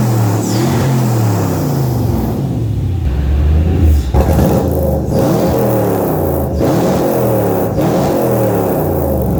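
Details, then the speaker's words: Mercedes M113 5-litre V8 in Ford Capri swap, just after first start: revs up and down with ragged, stumbling stutter because the fuel table isn't tuned yet; otherwise no smoke or misfires, some exhaust leaks. "The fuel table isn't tuned yet, so it will stutter and"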